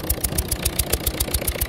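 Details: 1.6 HDi diesel with blue smoke and an unstable idle: a sharp puffing tick about seven times a second over a shaky idle; leaking injector seals are suspected.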